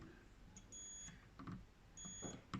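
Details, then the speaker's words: Land Rover Discovery 2 Td5, fuses checked with a multimeter on continuity setting during a hunt for a short causing a stuck-on indicator: two clean, high steady beeps; circuit made, fuses good. "It's like contact checker to make sure it's making a circuit. You can hear that, look."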